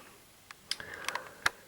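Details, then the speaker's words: LJ44-00143A plasma TV board, switch-on after the blown 4.5 A fuse was replaced with a 5 A one: a few sharp, dry relay clicks in a quiet room with no buzz or crackle; relays pull in cleanly and the TV starts normally. "and the TV starts. You can hear the sustain boards ramp up."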